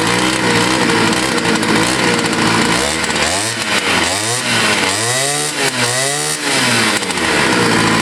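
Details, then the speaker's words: Scooter that sat for a year and got wet, restarted after choking: crisp two-stroke buzz rising and falling cleanly through several throttle blips, then holding a steady high idle; running normally. "okay let's just restart yeah good deal nice all right there you go on camera you're starting your uh best I can there she is running again"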